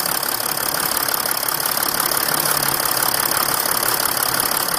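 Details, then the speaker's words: 2008 Mercedes ML320 CDI diesel just after fuel, air and oil filter replacement: fired up right away after glow plugs, with an even, steady idle clatter and no misses, knocks or hunting; no stalling, bleeding not needed, checking for leaks. "turn the key, it fired up right away without hesitation. Did not stall whatsoever, and it was no other thing needed, basically."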